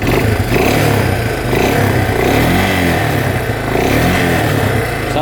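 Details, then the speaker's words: 2003 Suzuki Eiger 4x4 ATV that won't move in gear: engine revs up cleanly and smoothly with no misses or smoke; motor healthy, drive fault suspected in gear selector or shaft. "well runs good but that revs up"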